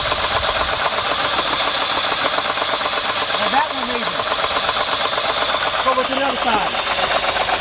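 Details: 2003 Jeep Liberty Sport 3.7 L that suddenly made loud engine noise on the way to work: runs unevenly with an irregular stumbling beat under heavy clatter, severe misfire; coils being unplugged one at a time to find the cylinder.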